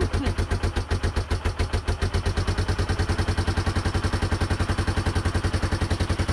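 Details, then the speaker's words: 1989 Yamaha Moto4 350 ATV after budget rebuild and CDI fix, first start on fresh motor: starts quickly into steady single-cylinder thump, even beats three to four a second, clean and regular; running normally. "you see how fast that started right up it was just nice job buddy"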